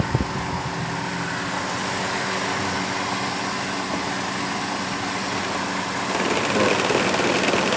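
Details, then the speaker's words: Mercedes C 180 Kompressor idling: loud steady whirring drone with a rough, shaky edge from the electric radiator fan, caused by play in its worn bearing; fix is bearing or fan replacement. "e pedir alguém que tem experiência e trocar o rolamento não sempre rolamento que estraga que dá esse problema"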